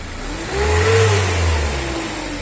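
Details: 2020-22 Renault Trafic diesel revving: moaning tone rising and falling with engine speed over faint hiss, with white smoke and low power; turbo assembly suspected as most common cause, not confirmed.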